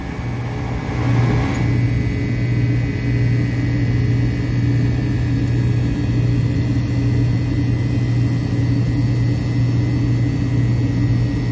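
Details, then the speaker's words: Ice machine compressor running with low pressure control pushed in: steady low hum with even tone, no knocks or rattles, already pulling pressure much lower; normal operation. "Okay, so I'm gonna push in the low pressure control. Compressor's running. Yeah, see, it's already pulling a lot lower."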